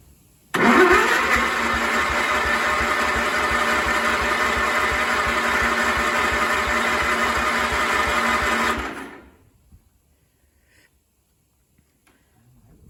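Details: Cub Cadet 1250 hydrostatic, sat 20 years, after freeing a stuck carburetor needle seat: catches, runs about eight seconds, then dies; cause not confirmed.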